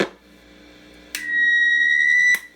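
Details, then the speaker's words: Sears Silvertone Twin Twelve 1484 tube amp, signal tracer on a grid connection, reverb tank switch toggled; steady high squeal over faint lower whine that starts and stops with the switch; the reverb tank circuit is oscillating. "one that sounds like you like feedback and here's the other one that was me turning the switch on and off on the reverb tank so it's definitely the reverb tank"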